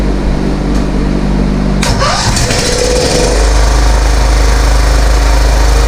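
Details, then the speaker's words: Kohler 15.5 HP engine from scrapped Craftsman rider, first run after fuel line fitted: cranking, brief scraping screech as it fires, then steady thumping idle; screeching likely mud dauber nests thrown out at start-up. "I guess that screeching noise was just the mud divers cuz when it fired up it threw stuff all over"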